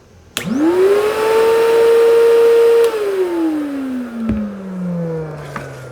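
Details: Pro Team Super Coach Pro 10 vacuum test-run after power plug replacement; motor whine climbs quickly to a steady high pitch, holds smoothly, then coasts down at switch-off: normal motor run.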